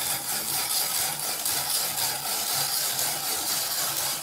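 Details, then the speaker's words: Ibili five-blade manual rotary shredder slicing potatoes after vegetable/olive oil on outside of drum: rough even scraping about one stroke a second, no squeak; previously squeaked constantly, now runs freely. "so that oil that vegetable oil olive oil on the outside thing made a difference cuz all day yesterday when I did that whole it was 8 lbs of potatoes thing squeak the entire time like the first one did it's not doing it now"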